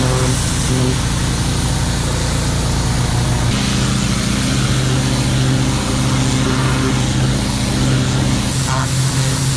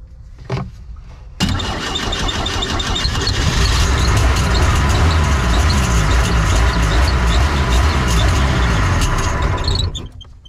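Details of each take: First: Engine of a neglected, cleaned-up boat running with a deep, steady drone and even beat, no misses or knocks; good hot water flow from the exhaust, no leaks, running smoothly and healthy. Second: Neglected boat engine, Rochester carb with water in the bowl, run on auxiliary fuel: cranks, catches, runs rough about eight seconds then dies toward idle; idle jets found clogged solid and fuel screen sludged.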